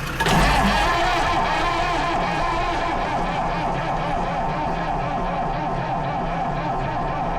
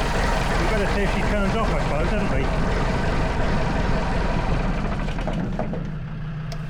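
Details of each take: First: Lansing Bagnall Model A tug, Perkins P4 diesel, with heat applied after a weak first try: the starter churns steadily, gives one brief firing puff, but never catches. It has compression. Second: Lansing Bagnall Model A tug, Perkins P4 diesel, first run after decades seized: steady low diesel clatter at an even pace, settling, with a Land Rover TD5 idling behind; runs well, though injectors suspected leaking smoke and no coolant in it.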